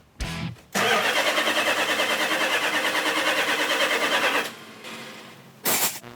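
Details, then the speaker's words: 1972 Dodge Charger Rallye after restoration, first start attempt: steady starter cranking about three even turns a second for nearly four seconds, never firing; missing ignition, compression or fuel suspected, no fuel delivery. "the bad news is it's cranking over but it's not firing that means i either have no ignition i have no compression or i have no fuel one of those three things those are the three essential components it takes to run an engine one of them's not there"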